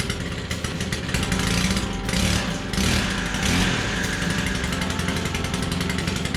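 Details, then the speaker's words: Stihl KM 110R Combi weed eater, not run in a long time, started after priming, fuel mix possibly ~40:1 instead of 32:1: small two-stroke buzzes strongly through brief throttle blips with no stumbling, normal running. "I don't know wow sounds good and powerful"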